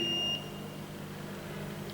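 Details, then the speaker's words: Smart RCBO/MCCB with live conductor placed in water, 40 mA leakage detected: two steady high beeps near 2.8 kHz about 1.5 s apart in a quiet room; earth leakage fault alarm. "I'm putting it in the water. The device detected a ground fault. Currently, the current flowing from the phase to the neutral or ground is 40 milliamperes."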